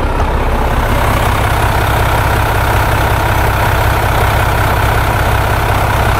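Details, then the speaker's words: Volvo D13 truck diesel after valve adjustment (calibration): deep, even idle at a steady beat with no ticking or misses; the engine idles healthily. "then I'm going to show you the result when the truck is already started final this is the result This is what it sounds like"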